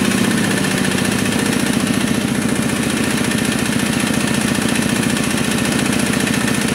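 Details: Kubota RD65DIS single-cylinder diesel after cylinder head service, exhaust fitted, driving a soil/clay grinder for brickmaking: steady thump under load with slightly rough, gravelly edge; smoke gone, combustion fine, rough noise blamed on worn engine gears.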